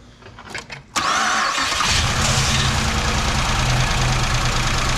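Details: 2008 Impala SS 5.3L V8 start after AFM lifter replacement for bad lifter tick: starter whirs, engine catches and settles to steady even idle with light tick fading as new lifters pump up.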